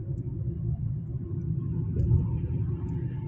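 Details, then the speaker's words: Honda CR-V on a road test right after a transmission overhaul, the gearbox having failed at 60,666 km: steady low road rumble while cruising, no clunks, slips or whine; the repaired transmission sounds healthy. "现在咱们这个已经弄完，正在路试，刚修好。"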